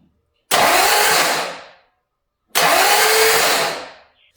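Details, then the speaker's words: 1989 Ford Mustang 351 Windsor, freshly reinstalled engine with oil added, spark plugs out: two fast smooth whirring cranking bursts without compression pulses; starter works. "There it is. It turned over. Sounds funny because there's no compression cuz there's no spark plugs, but Hey, hey. Starter works."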